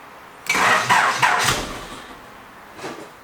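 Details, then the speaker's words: 1980s Honda Prelude fitted with a 1980s JDM aftermarket remote starter, on a small jump pack; starter chugs about four times a second for roughly a second then cuts out without catching; cranks briefly then stops, owner suspects a missing input signal. "it turns over for a couple of seconds but it's like not getting a signal to tell it to keep going it needs another input from somewhere like it turns itself off"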